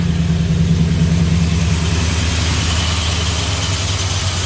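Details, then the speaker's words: 1988 GMC Suburban just after replacing the ignition coil: fires up much easier than before and idles in a steady, even low rumble with no misses or knocks; clean idle, road test pending. "that seemed to fire up way easier than it has in the past"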